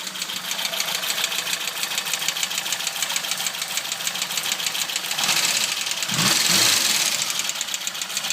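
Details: Opel Kadett B OHV tuned 1.2 S engine with higher compression and modified camshaft, original carburettor refitted in place of the Weber, idle set fairly low: fast light ticking about three per second, slightly loose rhythm; owner fears a bearing, seemingly from below, cause unclear.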